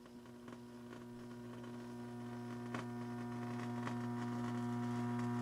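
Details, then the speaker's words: Old tube amplifier of a 1964 Rowe AMI Tropicana jukebox, powered up after sitting for years: a constant low mains hum with a buzzy edge swells after switch-on, and some resistors were later found out of spec. "okay we're going to turn it on and look for explosions might get some hum here"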